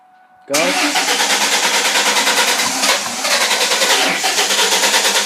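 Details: 2000 Ford Mustang 3.8 with new plugs, wires and battery, audible fuel pump, no codes and fuel-wet black plugs: starter spins the engine in an even pulse, about three beats a second, with no firing; cranks but won't start. Cause unknown.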